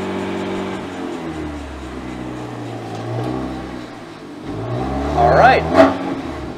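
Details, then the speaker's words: BMW M3 Competition driving in third gear after wheel bearing replacement: smooth drivetrain hum rising and falling with revs, no ticking left, faint handbrake drag needing adjustment; normal drivetrain running. "and this is third gear and as you can hear no more ticking sound well that's kind of good news that's very good news actually"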